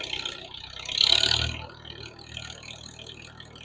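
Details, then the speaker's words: Farmall H tractor after transmission oil change and carburetor adjustments, carb rebuild planned: quiet, even low idle with steady beat, no knocks or misses; runs smooth and sounds good. "I think our adjustments right now are working pretty good. It sounds good."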